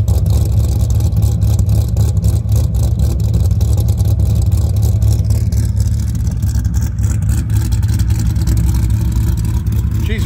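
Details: Rebuilt Dodge Viper V10 running after rebuild: deep heavy rumble, throttle blips rising and settling cleanly, no knocks, ticks or misses; earlier valve cover spacer and heater pipe pinhole leaks since sorted, sounds healthy.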